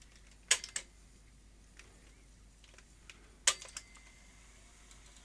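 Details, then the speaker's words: Philips VR2023 V2000 video recorder: two sharp clusters of clicks as the tape laces, then it goes quiet. The tape counter isn't moving, so the deck sees no spool rotation and drops into emergency stop. "so it sounds like it's laced Up Click and then it shuts down because there's no operation of that okay you know it's logical because we can't we're not getting any counter on there the machine is shutting down because it's not seeing rotation"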